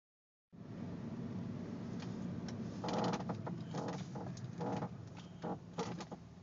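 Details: Audi A4 with irregular short creaks coming and going over a low background rumble; creaking noise, cause not identified.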